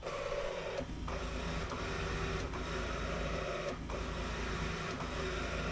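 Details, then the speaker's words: 1979 Porsche 924 electric side mirrors newly hooked up through a worn controller: soft steady motor whir under crisp switch clicks, mirror drives smoothly, buttons possibly wired reversed; normal mirror motor operation. "now that thing it triggered and there's the switch here I talked about a long time ago for to switch sides right so cool it all works which is amazing"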